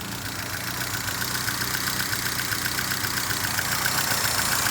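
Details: 1978 Fiat 124 Spider under rough-idle diagnosis. The idle pulses about 220 times a minute, but the beat wavers and stumbles instead of staying even; cause not yet found.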